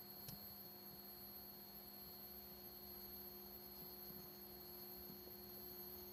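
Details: Vintage 1976 Bulova Accutron 219 tuning-fork watch running: faint, perfectly steady high hum with no wavering or ticks; normal running hum of a healthy watch.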